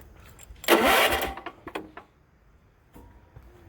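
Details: Giant Mow 48" walk-behind zero-turn mower after fixing crossed key-switch wire: short burst of starter cranking, a few sputters, then quiet; starter now engages properly. Owner still investigating a smoking issue.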